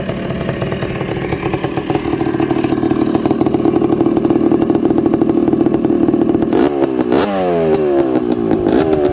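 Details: 1984 Honda ATC250R air-cooled two-stroke three-wheeler, engine freshly rebuilt with new crank bearings and top end: crisp, rapid crackle settles into a fast even beat, then blips up and down cleanly; runs and revs freely, healthy.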